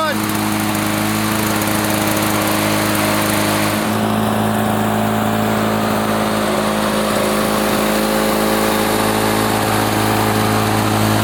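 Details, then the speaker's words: 1980s Lawn-Boy two-stroke mower after cleaning repair, previously wouldn't run after running out of fuel: steady, even drone at constant high speed about 3480 rpm per tach, no misses or surging; fine per label, choke off, running properly. "foreign RPM she runs 34.80 which is fine it feels like the throttle is back or at least according to the label"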